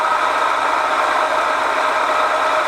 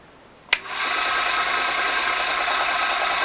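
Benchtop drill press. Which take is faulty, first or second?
first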